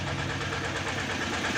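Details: Tata Ace Zip XL diesel, towed in as a no-start with fault code P0090 (fuel pressure regulator), now started after repair: steady smooth unchanging idle rumble, no knocks or misses; runs cleanly.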